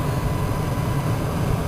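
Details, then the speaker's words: Passenger-side blower motor, previously dead from a loose wire (fuse good), after a simple rewire: steady, even low hum, spinning fast with no ticking, scraping or wobble; running normally. "It's spinning so fast, but it's spinning in there. Right in there, so now I got that fixed."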